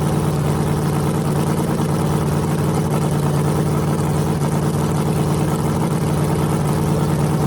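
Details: Freshly rebuilt small block Chevy 350 (355) on a run stand, restarted after refuelling, open headers, temps about 107 front, 76 back, plenum 69°: deep, even burble at steady fast idle, no knocks, ticks or misses; healthy.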